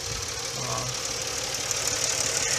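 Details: Stock 1997 Nissan Maxima (4th gen, automatic) at normal idle: steady, even idle at about 650–700 rpm, needle not bouncing, no misses or knocks; idle air control valve screw set at factory spec.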